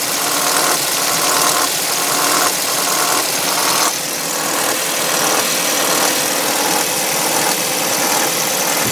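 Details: 2005 Audi A3 2.0 FSI just after a cold start: loud, sharp metallic clatter over a busy ticking idle, pulsing about once a second, fading after about three minutes; owner suspects the tensioner, unconfirmed.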